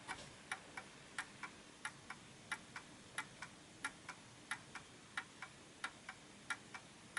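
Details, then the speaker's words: Art Deco Enfield Westminster chime mantel clock after nudging the pendulum mechanism left to correct an off-beat tone: crisp, even tick-tock about ninety beats a minute with no limp; clock in beat. "Now this sounds okay, but let's just take it through its paces for a minute."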